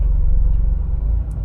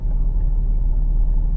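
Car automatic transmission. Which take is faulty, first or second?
first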